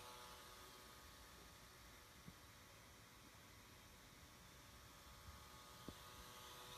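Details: Surface Pro 3 i5 256GB, a replacement unit, fan buzzing: quiet airflow rush with a loud, constant buzzing hum on top and an occasional faint tick, unlike a normal fan whoosh; it persists after all Windows updates.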